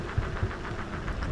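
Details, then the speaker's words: Backfire Ranger X1 all-terrain electric skateboard, new: low rumbling thumps about every quarter second from the tires while riding; rider hopes it's tire nubs or manufacturing imperfections that will wear in; cause unclear. "One thing I've noticed is you can hear the sound coming from the tires, almost like out around, I guess, but I'm hoping that's just, like nubs on the tire just have to get worn in."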